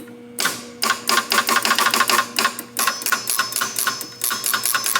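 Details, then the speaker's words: Barn-find 1961 Gottlieb Corral pinball machine, stored since at least the mid-1990s, during repair: fast uneven relay and stepping-unit clatter about five a second with no scoring bells; the mechanism cycles but scores no points at all. "No points. No points at all. Okay."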